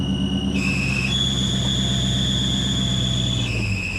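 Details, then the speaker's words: Modded SN95/New Edge Mustang GT V8, converted from automatic to manual, idling: shrill, steady whine stepping between pitches, traced to the clutch throwout bearing; clutch still engages. "What was that? That's the clutch."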